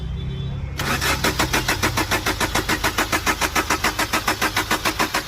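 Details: Chevrolet Enjoy: starter spins the engine in an even, rapid chug about three and a half beats a second, but it never catches; crank no start.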